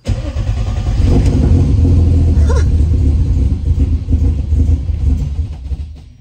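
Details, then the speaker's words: Turbo BMW M50 E30, first start after reconnecting fuel pump, injectors and coil packs: lumpy, uneven idle with a ragged low beat, running rough; owner suspects extremely rich mixture, TPS reading 8% with no throttle. "It's running like shit. I was gonna get excited, but there's nothing to be excited about with it running like that. It might be extremely rich."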